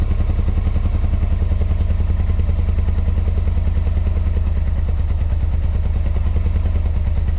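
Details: 1986 Yamaha Venture Royale 1300 with 86,000 km, first start in 7 years on 7-year-old oil and old gas: steady low thumping about two to three beats a second with a clattery edge at idle; knocking, owner blames old oil.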